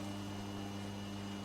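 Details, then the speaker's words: Vintage Petro Scott reel-to-reel tape recorder, AC bias, 2-track mono, on first playback: steady low mains hum with a buzzy overtone, from a failed filter capacitor; replacing it cured the hum. "I'm hearing a little bit of hum here but I'm sure that's nothing I can't fix"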